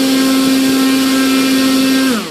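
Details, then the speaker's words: Volantex/Lanyu ASW-28 2.54 m RC sailplane, electric motor and prop bench test, hand-held: steady high motor whine, then after throttle cut pitch slides down smoothly as prop coasts; ESC braking disabled, needs enabling. "what it is is that there's no breaking and that's ridiculous okay you need breaking you have to immediately out breaking okay"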